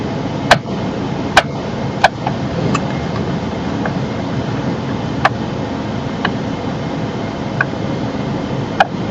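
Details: Steering column while the wheel is turned: sharp, irregular clicks about once a second over a low steady engine hum; clicking likely from internal gears or bearings in the steering column, suspected, not confirmed.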